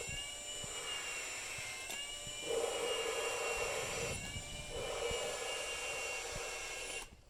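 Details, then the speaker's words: Valve lapping on a cylinder head with a lapping tool in a drill, during an LS-swapped AWD WRX build: whining drill with gritty grinding bursts that fade away; lapping compound pushed out, valve must be lifted. "you can hear it grind and then you can hear the grinding kind of fade away and that means that the um closer it might pick it up that means that the valve grinding compound has kind of got pushed out and you need to pick it you need to pick the valve up"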